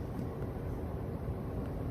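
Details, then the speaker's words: Furnace ECM blower motor just reinstalled (bent bracket straightened) runs with a steady low airy rumble, no rattle, scrape or speed hunting; runs like it's supposed to and should run about 90 seconds before heat; normal blower operation. "the blower's running like it's supposed to. It should run for like 90 seconds."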